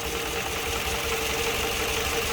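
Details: Toyota Harrier warming up in the morning with rpm swinging and engine vibrating: rough, stumbling idle; pulling an ignition coil made almost no difference, revealing a weak or failed coil causing a misfire.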